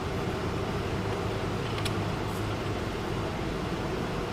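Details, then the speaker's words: 2011 Mitsubishi Eclipse 2.4L that died while driving, crank-no-start, timing cover off: fast, even starter whir with no compression rhythm or catch while timing belt doesn't turn; belt likely missing teeth, stripped timing belt. "So hopefully you guys saw that. Timing belt doesn't turn."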